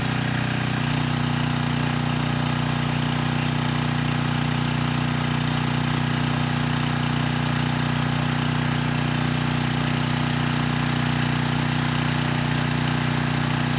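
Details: 6,000 watt Troy-Bilt generator after AVR adjustment to 119.9 volts, 3000 watt load test: steady, even drone at constant speed, no hunting, misses or knocks, above 60 hertz at about 118.6 volts; normal running under load.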